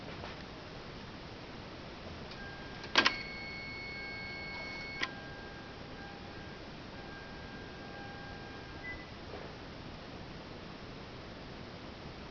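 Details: 2013 Hyundai Genesis Coupe 3.8 GDI, ignition on with the engine off: each light gas-pedal press brings a short electric whine and a sharp click; the owner suspects the throttle body and its electric motor and plans to replace it.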